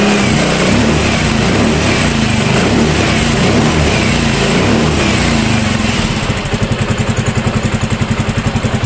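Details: Yamaha Mio M3 scooter, brought in for a rough engine noise, started after checking top dead centre and valve clearance: runs busy at first, then settles into an even, steady idle with no knocking; normal idle.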